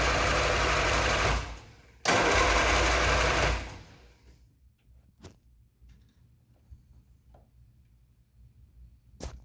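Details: 1972 MG Midget that is hard to get running: a small petrol engine runs in short, uneven bursts with a lumpy, stumbling misfire.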